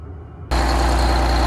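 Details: Detroit 6V92 diesel in a bus conversion after exhaust manifold gasket replacement, idling at about 20 degrees outside. Deep, steady idle with no puffing or ticking from the manifold.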